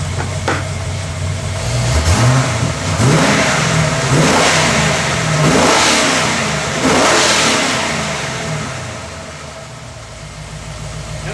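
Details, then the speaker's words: Ford AU Falcon XR8 V8 after tensioner pulley replacement failed to stop a belt squeal above about 2,000 rpm; firm revs now clean with no squeal, fixed by a drop of oil on the camshaft timer. "squeal fixed. Squeal fixed. That was Oil. cheap."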